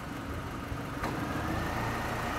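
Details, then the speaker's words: 2009 Mini Cooper 1.6i 6-speed, 47k miles, idling with camera held outside: brief click and engine note lifts slightly as the A/C compressor cuts in; air conditioning engaging normally, air ice cold. "that's a compressor kicking in so we know it works the air come because the compressor's kicked in"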